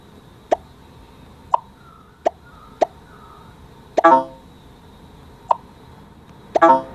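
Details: iPhone speaker playing a short game sound about seven times, crisp with no crackle or buzz, in a test of the iPhone 8 Plus speaker crackling issue later fixed by iOS 11.3.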